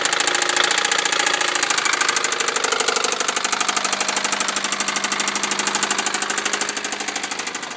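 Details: 1998 Honda Civic at cold start: a loud, rapid, hard metallic knock on every turn that stays steady throughout; severe rod knock.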